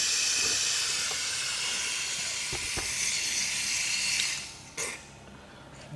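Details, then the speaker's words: Mitsubishi Lancer with loss of power, fuel pump powered directly on the bench in water: continuous high hissing spray while the pump runs, stopping when power is cut; pump assembly leaking, causing lost fuel pressure. "right in there you can see the water just pushing it out okay so we're gonna have to address that and see what's going on that's why we are losing fuel"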